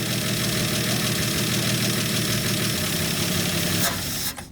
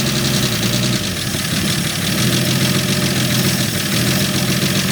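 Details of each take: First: 1965 Dodge D100 six-cylinder, after sitting 30 years, on fresh fuel with no coolant in the engine: fires up and holds a steady, slightly lumpy idle for a few seconds before shutdown; running fine. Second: 1965 Dodge D100 slant six, first run after sitting 30 years, on choke with blow-by noted; steady idle with a light, quick puffing tick over the exhaust note; small exhaust leak, judged not that bad.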